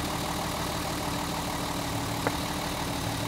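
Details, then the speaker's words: Mercedes 280 SE at idle after storage, running rough and misfiring. Pulling cylinder two's plug lead gives no RPM drop, so that cylinder is dead. The cause could be the spark plug, plug lead, low compression or a fuel injector. "look at that no RPM drop on number two so this is a cylinder that's malfunctioning once again we don't know yet whether it's a spark plug a spark plug lead low compression or a plug fuel injector"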